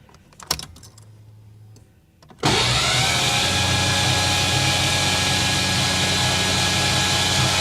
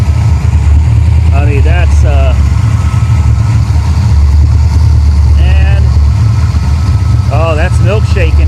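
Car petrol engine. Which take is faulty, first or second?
second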